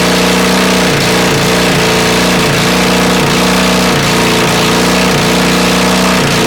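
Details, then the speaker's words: Honda CB450 engine never run before, on CB400 carbs and CDI with 250 wiring loom, auxiliary fuel tank: loud harsh running with uneven pulses dipping about once a second, flames from exhaust, sounds very hot. "But it runs. Wow. That sounds awfully hot."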